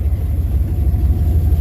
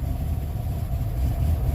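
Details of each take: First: Engine with intake needing removal, after holding throttle until warmed up: low, even burble with steady beat and no stumbles, now idling smoothly. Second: Vehicle just started after sitting, still cold: low, lumpy uneven idle that smooths once warmed with throttle held; owner suspects intake needing removal.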